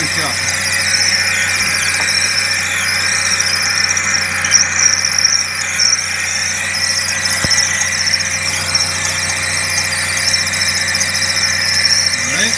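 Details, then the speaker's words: Suzuki SX4 manual at idle, engine bay: a steady high-pitched squeal over the running engine, located with a stethoscope to the idler pulley bearing, not the water pump as first suspected; idler pulley bearing squeal. "I was able to localize the noise that was actually coming from the idler pulley and the bearing here"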